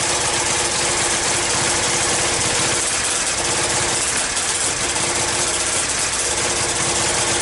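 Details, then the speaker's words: Yamaha Virago XV535 V-twin with replacement carbs, front exhaust pipe blowing: lumpy, uneven idle with irregular beats and chuffing; rear cylinder misfiring. Owner suspects a coil breaking down, intake leaks already checked, and plans a plug change next. "back together put everything back together on it and it's still having the same problem with the the rear cylinder not firing properly"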